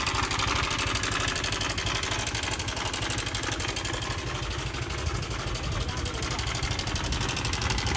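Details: Honda Air Blade scooter at idle: fast, steady metallic chatter about four per second over the idle, which is cam chain slap from a failed, retracted cam chain tensioner.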